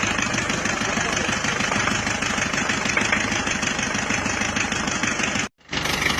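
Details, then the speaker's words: Diesel after new liner, piston rings and mechanism fitted, previously run out of coolant; rough harsh idle with uneven rattling knock each firing cycle, traced to a dead injector nozzle. "Teman-teman, akhirnya mobil tersebut kita selamatkan ke bengkel Bospom karena noselnya ada yang mati sehingga terjadilah suara yang kasar seperti itu, ngelatak."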